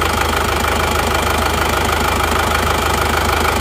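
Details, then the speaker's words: Kijang or Panther diesel at idle: steady even quick clatter, no misses; smooth and healthy, though the Kijang feels smoother from inside the cabin. "Ini sama-sama halusnya sebenarnya, sama-sama halus. Cuma kalau dari dalam kabin itu masih halusan Kijang."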